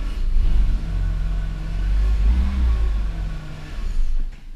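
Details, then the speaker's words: BMW E46 325xi touring inline-six after repairs, with the intake camshaft position sensor connector left unplugged: low, uneven rumble that surges and sags instead of holding a steady idle; rough running. "so i figured out what the issue is there's like tons of connectors and i forgot to connect one and it's the camshaft position sensor for the intake camshaft"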